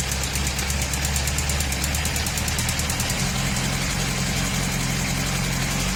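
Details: 2004 Honda CBR1000RR: fast, even engine beat with a faint ticking over the low rumble, appearing only when hot below 3000 rpm. Owner suspects the exhaust manifold gasket, valves or a connecting rod, unconfirmed.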